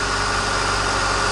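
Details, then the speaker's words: Lada Niva after drive belt replacement and new spark plugs: steady even idle with a smooth low hum, the former belt shriek gone; normal idle. "Yes, my first fix! Do you know what he did before? SCHRIIIEEEEEEEKK That is over now"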